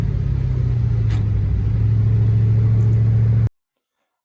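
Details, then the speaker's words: LS-swapped Camaro V8 after valve covers were removed to check a suspected cylinder problem and refitted: smooth, even low drone, steady pitch, no ticks or knocks. Normal running. "hang out here for a bit or whatever, and then on the way home, if anything happens, I'll let you guys know. But so far, everything is great."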